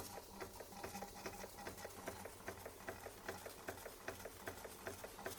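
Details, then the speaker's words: Bing 130 382 Poppit steam engine, just lit and still cold, pressure up and pipe warming: quick light chuffs about 2.5 per second, with a wet crackly spit on each beat. Condensation is blowing up the chimney during warm-up. "There she goes. There she goes. You can hear that condensation going up the chimney."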